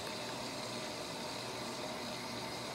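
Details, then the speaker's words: Whirlpool Duet front-load washer after clearing an F21 drain fault: about 12 minutes into a quick wash, soft steady water rush and low pump hum, no grinding; rinse and drain running normally. "and then it starts to drain cycle see if we can so we're about 12 minutes into a quick wash"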